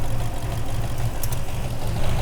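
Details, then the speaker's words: 2001 Toyota Land Cruiser 100 4.7-litre petrol V8, off the road since 2016, after correcting O2 sensors: smooth briefly then smoky, low choppy idle with dropped pulses; rough idle misfire. "Smokey again oh no now it's getting choppy it's getting choppy again"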